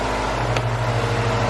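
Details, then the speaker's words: Honda B16A engine after fresh injectors installed and fuel system primed, first start: steady, even low hum with smooth unbroken rhythm and one brief click; idling cleanly with no miss, fuel pressure then raised. "let's put on the break and start it success everyone success she's running"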